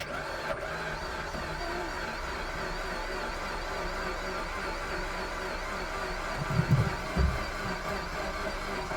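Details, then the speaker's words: Suzuki Swift Sport bought from Copart, push-button start: fast, uneven cranking that sounds like it wants to go but never catches, fuel smell present; no-start, cause not yet found. "right so we're cranking sounds like it wants to go on but it's not so we're gonna have to do a bit more digging and see what we can find out"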